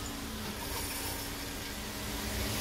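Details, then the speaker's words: 2020 Dodge Charger, noise from one rear wheel that felt reluctant to turn: rough continuous crunching grind with loose metal dragging; parking brake shoe hardware kit came apart, possibly not the differential. "hearing a lot of crunching. Whoa! Oh, I think the hardware kit done came apart."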